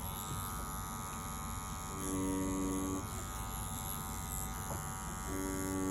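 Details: Dragonhawk Atom M5 pen-style rotary tattoo machine running at about 7.5 V: steady, even motor buzz holding the same pitch throughout with no knocking or wavering; running cleanly.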